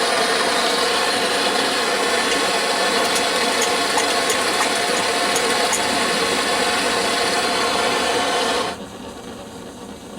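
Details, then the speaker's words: Antique paraffin blowlamp, newly assembled, just lit and warming up: a steady roaring hiss holds even for about nine seconds, then drops away; the lamp is lit and burning properly. "we are it's working how about that let it warm itself up for a moment he actually works how about that"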